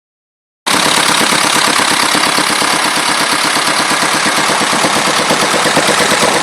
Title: 2.25d rattling noise